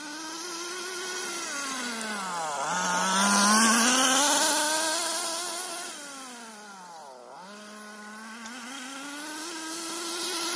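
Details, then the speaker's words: HPI Nitro MT with Nosram .18 RS Evo engine during break-in tanks: buzz climbs and drops twice on throttle blips, goes straight away with no bogging after sitting, still running quite rich. Rich mixture during break-in. "see it's sitting for a bit and it just goes straight away no bogging down even though it's still quite rich"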